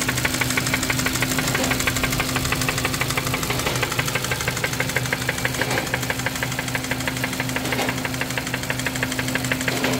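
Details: 2017 Hyundai Kona 1.6 T-GDI petrol engine at idle with a loud, fast, even ticking clatter sounding like a diesel; cause unknown.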